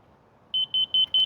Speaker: if I don't hear it beeping and I have to lean it over um I know I'm high so I can kick this dirt down a little bit